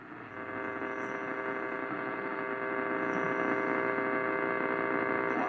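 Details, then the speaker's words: 1947 Lear 662 AM tube radio, working and tuned to an AM station: a steady, even low hum from the tubes sits in the background with no crackle or surging, normal for tube radios. "You can hear some humming in the back from the tubes, but background from the tubes, but that's pretty normal for these tube radios."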